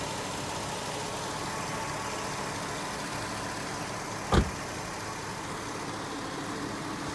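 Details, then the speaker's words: 2006 Chevrolet Tahoe Z71 5.3L V8 with 242,543 miles, idling warm after a road drive. The owner notes occasional lifter noise that usually fades after the first few minutes. Here it gives a quiet, even rumble with one brief click, a smooth, healthy idle. "I don't know how well it sounds. This is after it's been running for a while. I've had it out on the road today."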